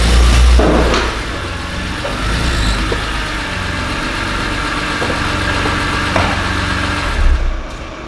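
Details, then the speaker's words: BMW E46 M3 S54B32 inline-six at idle: irregular low knock under the engine note with exhaust camshaft sensor synchronization faults. "so the story behind the car is that the engine has developed some strange knocking sound on idol I'm not sure it's only on idol we're going to check it"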